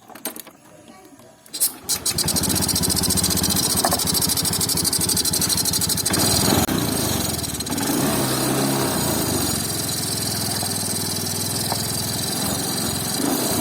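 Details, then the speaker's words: 2019 Honda Scoopy fuel-injected scooter stumbling at low rpm despite ECM reset, TP reset and cleaned throttle body: starts, then throttle blips bog and sputter before picking up; TPS plate worn flat, leaving play so signal is uneven. "sebagian sensor TPS itu ada masalah di bagian sini di mana platnya itu sudah gepeng jadi ada space antara total valvenya yang sini dengan sensornya yang mengakibatkan pergerakannya tidak berkesinambung"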